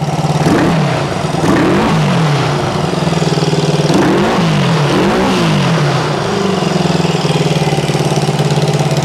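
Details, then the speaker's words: 1974 Honda CB360 twin, revived from parts bikes, at first start: it revs and settles to idle with a sharp puffing tick on the exhaust note. Both cylinders run hot, and it is smoking, assumed from oil and gas. Finding: an exhaust leak. "definitely got an exhaust leak and it's definitely smoking and I'm uh I'm assuming it's smoking because of the oil and gas we're going to have to do something about that exhaust leak"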